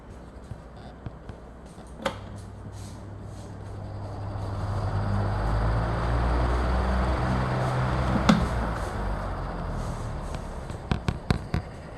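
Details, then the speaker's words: Brand-new Pensonic table fan, first power-on, microphone at the motor vent: low rough hum and dull rumble under the airflow from a noisy motor bearing; oscillation also broken out of the box. "listen closely and it has bearing noise I put my ear right up against the vent and it has bearing noise"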